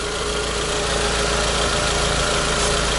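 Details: Renault Logan phase 2, 1.6 engine, manual gearbox, after clutch, cable, hub bearing and shifter repairs; smooth, even idle with a steady low hum and no knocks or shakes; normal idle.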